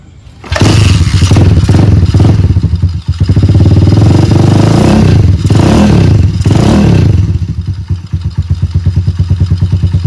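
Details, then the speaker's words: Honda Monkey-style Stallions minibike on its original Wave125 carburetor, before fitting a Dash carb: starts first try, blips, then settles into an even single-cylinder putter; healthy idle, runs normally. "ก็ประมาณนี้ครับสำหรับคาบูWave125นะจริงๆรถอ่ะมันไม่ได้มีปัญหาอะไรนะครับนะสตาร์ทติดเบาอยู่อ่าสามารถขับได้ปกติติเลยนะครับ"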